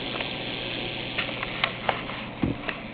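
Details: Insignia NS-LCD26A LCD TV, unresolved fault: a steady airy hiss that never changes pitch sits under a few small handling clicks; the TV gives off a continuous hissing sound.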